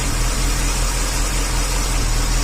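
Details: 1994 Corvette 5.7 LT1 V8 idles low and rumbly with an occasional stumble from a random ignition misfire, believed to be distributor cap and/or rotor related.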